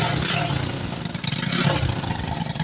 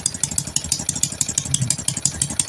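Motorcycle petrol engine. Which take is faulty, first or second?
second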